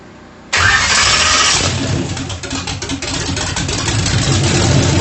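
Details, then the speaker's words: Turbocharged small-block Chevy (1800 hp goal) in a Mustang drag car, first start after rebuild, primed with a shot of brake cleaner: catches at once with a loud bark, then settles into a choppy, loping big-cam idle; sounds healthy, normal start-up. "it sounds pretty healthy I couldn't hardly breathe but it cranked up and it runs so I am super excited"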